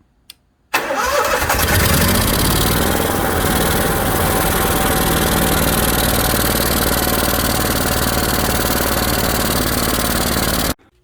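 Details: Onan 5500 RV generator, after replacing a leaking fuel filter and clamping the fuel line, running without the air filter: fires at once and settles into a smooth, even, steady roar with no misses or knocks. Runs healthy.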